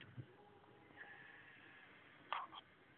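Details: Lenovo ThinkPad X300 laptop cooling fan failing, with a faint wavering high whine and squeaky chirps that can get much louder at times; fixed by replacing the fan.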